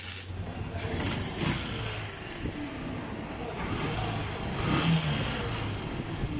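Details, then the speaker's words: Honda TMX Alpha single-cylinder motorcycle after stator problem fix by converting to 4-pin CDI, kickstarted: catches and holds steady even low thump with no misses; running normally. "So, irekta muna natin at subukan nating i-kickstart at paandarin natin yung motor."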